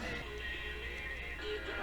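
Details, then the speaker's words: Sony Dream Machine ICF10W solid-state radio after repair of a cold solder joint, plugged in and connected to a speaker: music plays clearly and evenly with no buzz, hum or crackle underneath; the radio is working normally. "all right it's working I can't believe I spent so much time on this radio so the issue was a bad soldering joint they call a cold solding joint"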